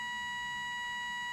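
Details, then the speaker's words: Soviet 1969 "Signal" pocket radiometer, with two Geiger counters, in alarm mode: a steady, high, pure electronic tone, rather quiet, sounds without a break because the set dose-rate threshold is exceeded. "If the set dose rate value is exceeded, the audible alarm will be triggered. The setup is not very convenient, and the sound is rather quiet, but nevertheless, there is such an interesting mode here."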